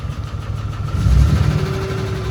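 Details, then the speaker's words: 2008 Dodge Ram 3500 6.7 Cummins, first run, moving forward in gear: uneven, rough low rumble with a faint tone over it; unidentified abnormal engine noise, cause unknown. "Yeah, it doesn't sound healthy. What is that noise? It doesn't sound very good, but it does run."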